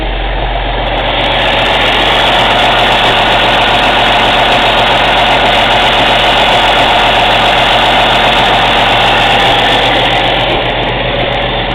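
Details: Cummins ISX CM2250 diesel during DPF regeneration: steady loud running with sharp, airy chuffing about four per second from the intake and no mechanical noises. Owner suspects turbo chuff during regen.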